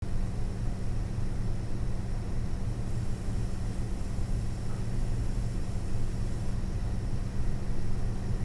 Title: ASUS Dual GeForce RTX 4060 EVO making strange noises